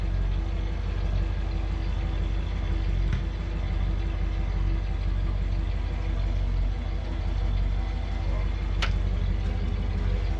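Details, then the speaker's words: 1974 Ford Ranchero 500, 351 Cleveland V8, 49,000 miles, warming up, temperature gauge rising: steady even low idle rumble, no knocks or misses, purring; smoking, believed burning off oil. "Why is she smoking? Smoking? Listen at her purr."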